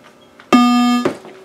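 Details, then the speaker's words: Earthshaker pinball machine, first power-up after rebuilding the auxiliary power driver board: single steady buzzing tone about half a second through the speakers, slight ground-loop hum, GI lamps on but no display; meaning of tone unclear. "there's a little bit of the hum sounds like a ground loop but I don't hear any coils on I thought that might have been a coil but it's coming through the speakers so let's so you can see we've got GI and let's see there's no display unfortunately"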